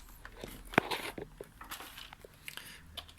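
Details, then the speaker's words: Nearly three-year-old Roccat Skeltr keyboard typed on after cleaning and reassembly. Scattered light, crisp plastic clicks and taps with no sticking or scratchy keys; the keys press normally. "and the buttons seem to be pressable."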